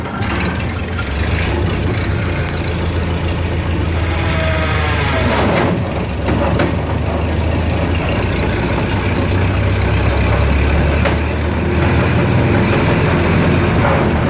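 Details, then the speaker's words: 1929 Ford Model A pickup on jacks, in neutral: constant rough clattering racket under low engine drone, heard even after shutoff; drivetrain noise, transmission, driveshaft or rear end suspected, possibly a splatter gear. "that's a heck of a racket I'll tell you who I'm afraid to run it too much I don't want to make it any worse than it already is"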